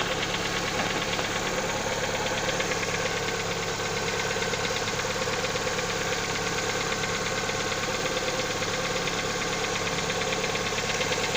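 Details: Lada XRAY engine on a cold start: a steady quick tapping, about three a second, over the cold idle hum; source of the knock undetermined.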